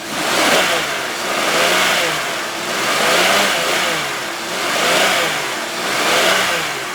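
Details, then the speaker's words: 2004 Chevrolet Venture minivan, 3.4-liter V6: engine revved repeatedly to the rev limiter and dropped back, clean rising and falling pitch with no knocks or rattles; runs really well. "so you hear that sounds good now of course with the rev limiter i can't really rev it up super high but you guys heard it's very good"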